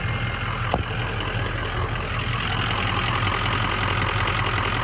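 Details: 2003 Ford Excursion 6.0 Powerstroke diesel after fuel filter/water separator housing repaired and sealed, no leaks: steady diesel idle with even regular clatter, no misses or odd knocks; normal healthy idle.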